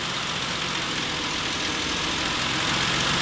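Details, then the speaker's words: 2008 Ford Explorer petrol engine idling steadily under a strong airy hiss just after throttle body carbon cleaning for rough idle; idle settling down with better airflow, recalibration optional. "you'll hear it idle down it's going to figure a few things out because it's actually going to have better airflow"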